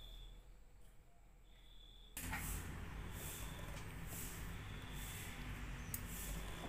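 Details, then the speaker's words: Yamaha NMAX scooter that smokes heavily: after a quiet start it catches into a harsh, rough clatter that rises with revs. A fault at the piston is suspected, before teardown. "Oke kita sudah mendengarkan Yamaha nmax atau suara Yamaha nmax ini dari awal sedikit pembahasan atau sedikit analisa sebelum kita mengeksekusi Yamaha nmax ini sedikit kita akan mengulas perkiraan ini di bagian piston suaranya Kasar banget"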